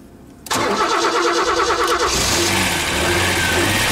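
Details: Ford Sierra V6 on a cold start with bad fuel injectors: it cranks and catches, then settles into a cold idle with an uneven, stumbling beat. Rough running from faulty injectors.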